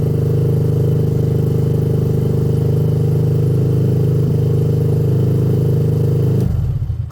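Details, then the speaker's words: Benelli after sitting five days, after fueling was fixed: even low chugging about four beats a second for six seconds, then cuts out without firing properly. Slow to start; owner suspects a new spark plug would help. "that wasn't actually too bad what I was thinking with this is it wouldn't hurt to throw in a new spark plug you know"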